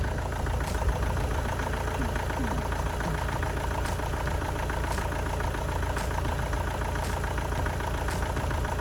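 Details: Opel/Vauxhall Astra van diesel after engine change (previous engine boiled), first run after fuel re-primed; deep steady idle with even clatter, runs sweet, slight possible misfire at low revs, other injectors may be swapped later.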